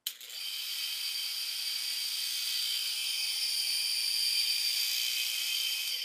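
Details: Motor test-wired with a shop harness and grounded to the motor body: spins up fast to a steady even whine with no knocks, rubbing or wobble; runs clean and healthy.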